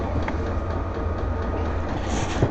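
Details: VEVOR heater just lit in sub-zero weather, exhaust getting hot: steady low rumble with a faint pulsing beat, burning evenly, loud but normal combustion noise.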